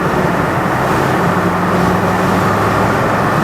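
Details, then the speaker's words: Land Rover Defender 110 diesel project truck on its 220-mile drive home after Forte diesel additive, window and vents open, accelerating to 50: steady even roar, earlier high tapping at top of rev range now much quieter; luggage rattles in back; normal acceleration. "That's 50. I think that's a lot quieter, I really do."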